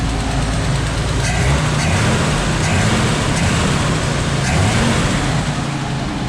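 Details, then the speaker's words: Squarebody Chevy C10 engine with power steering pump removed, after adjusting a slotted accessory bracket: revs with steady deep rumble, no squeal, chirp or grinding from the belts; earlier noise gone for now, accessory drive normal. "well, I think it's fixed. It's not making it. I'm gonna turn this off before I drop dead in here. The noise is gone for now."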